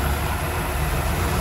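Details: Mazda Interplay carbureted engine that won't hold idle, stalls, uses a lot of fuel and pulls weakly: steady, fairly even drone when the carburetor top is covered; idle circuit likely blocked, vacuum hoses and PCV valve to be checked.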